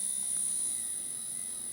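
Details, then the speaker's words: Small motor on a DIY diamond surfacing tool with a new pulse-width-modulation controller at low speed: thin, steady high-pitched whine, turning smoothly and hard to stall. "this guy is I can tell right off the bat that and it's hard to stall that motor out even at a low"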